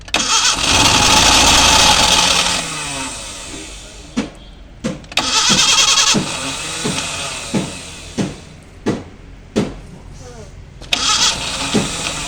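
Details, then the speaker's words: Maruti Gypsy petrol, started after a long time sitting, engine chilled with ice for a cold start, in neutral, fuel reaching: starter spins hard a couple of seconds then short bursts, never fires; petrol into air filter tried next. Cranks but no start. "Just വണ്ടി crank എടുക്കുന്നേ ഉള്ളു കേട്ടോ"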